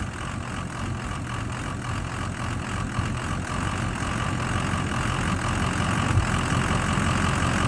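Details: 6.0 diesel after two oil changes with RevX: heavy clatter with a wavering, loping beat at idle; rough idle improved but still present.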